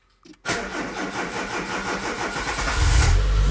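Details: Citroen ZX Avantage 1.4i TU3 petrol, first start after a long lay-up, after priming the fuel pump, out of gear: brief crank, catches at once and settles into a steady, even idle, no warning lights, no smoke; normal cold start.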